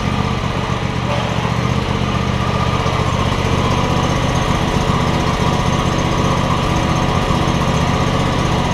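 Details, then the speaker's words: John Deere X300 mower after control module replacement for a no-spark problem; runs great. Steady, even chug at constant speed, no misses, surges or knocks: normal running. "we're going to make sure that it goes forward and backwards like it's supposed to runs great now though"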